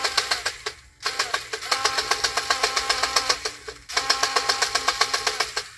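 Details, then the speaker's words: Power Wheels drive motor and gearbox bench-tested after a burnt-plastic smell: motor whine with regular popping about four times a second over a buzzy drone. A broken plastic gear tooth is suspected rather than the motor. "you hear that pop that one's broke did y'all hear that that does not sound good does it"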